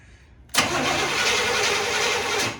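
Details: 1979 Chevy Scottsdale with new starter fitted, cranked via remote switch: starter engages cleanly and turns engine over at an even, steady pace for two seconds; normal cranking.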